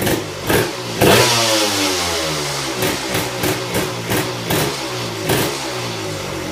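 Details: Tecate KXT250 two-stroke, start with new fuel petcock, almost cold (last run half an hour earlier): catches, blips a few times, settles into ragged but steady idle; running again, idle just needs setting.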